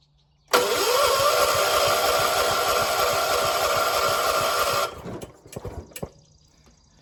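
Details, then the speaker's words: 1976 John Deere 300 hard start the morning after heavy grass cutting: slow, laboured cranking about three turns a second that never catches; battery found dead, needs a jump, has fuel; cranks but won't start. "Almost, come on. Why ain't you starting? Got gas."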